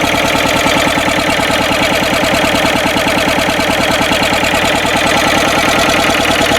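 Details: Westwood lawn tractor's Ruggerini twin-cylinder air-cooled vertical-shaft diesel, previously hydrolocked, running after repair with new starter motor and gaskets; crisp, even diesel clatter about three beats per second with no misses, healthy running.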